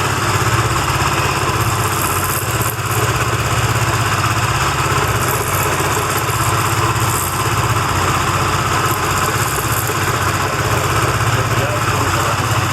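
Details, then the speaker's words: Benelli TNT25 250cc motorcycle at idle just after starting, camera close to the engine: loud, busy idle with an uneven, steady clattering, a buzz likened to a little bee, heard more on one side. Abnormal engine noise persisted after new parts; three mechanics failed to find it. "Ah pero el ruido en sí es ese que hace como una abejita como una yo lo escucho más de este lado en la zona de"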